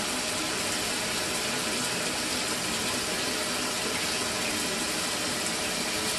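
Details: Mira electric shower (possibly Zora model) after replacing the faulty solenoid valve. It previously cut out intermittently after a few minutes of running. Now a continuous, even rush of water with no pauses or surges: normal flow, repair successful.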